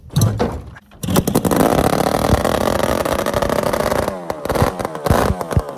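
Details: Rebuilt 1974 Kawasaki S1 550cc four-cylinder two-stroke, out of the frame, on open carbs and Delkevic H2C header pipes, chokes on, during the test start: crisp, ringing bark that picks up cleanly on throttle blips and settles back. Starts readily and runs strong; healthy.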